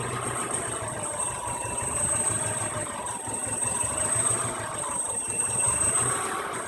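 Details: 1993 Subaru EJ22 engine: low, uneven idle with an irregular lope and faint rattle underneath; rough idle, cause unknown.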